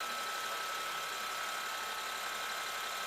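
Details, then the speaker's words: BMW E70 X5 after air spring replacement for sagging, battery reconnected with engine running: steady thin high hum with airy hiss as the suspension compressor pumps the car back to full height; leak check pending. "so it's working I think the car's going back up CU it going a hold I can hear the actuate"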